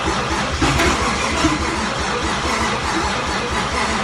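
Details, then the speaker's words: Freshly installed 1JZ engine, first start attempts with starter sticking engaged, battery drained from cranking, fuel later pouring out: fast, even cranking churn with rhythmic low pulse that never fires; flooded engine, cranks but no start. "come on so close okay all right that was the that was that was the closest we've gotten to start"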